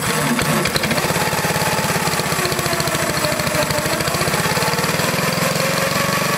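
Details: Old Onan engine after fuel tank and carburetor removed and nasty fuel found: steady rapid single-cylinder exhaust beat with even firing, no misses or surging; running smoothly.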